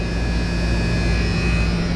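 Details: Outdoor AC condenser unit running: loud constant low electrical buzz over fan hum from a noisy contactor, to be replaced.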